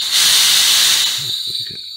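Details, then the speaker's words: Turbotorch P250-500 nitrogen regulator after rebuild with a roughly $30 kit (it had been leaking by), pressurized with the adjusting screw backed out: strong steady smooth hiss without flutter, then easing off; no longer leaking by, regulating normally. "here we are all pressured up and it's already a win because it's not leaking by with the thumb expiry out"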